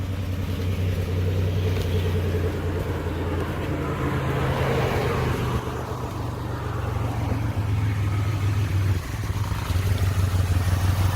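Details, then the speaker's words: 2002 Chevy Impala 3.4 with P0300 random misfire code, runs rough: lumpy idle with irregular dropped beats about three a second; cylinder misfire traced to failing ignition coil; vacuum leak also found. "All right. Hear that misfire? Let's go out and look at the engine."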